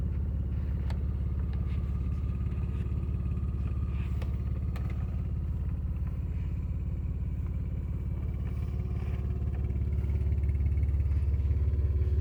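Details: Acura TL V6 running on three cylinders because of bad injectors: lumpy, uneven idle with a heavy thump about three times a second, like half the cylinders are dead.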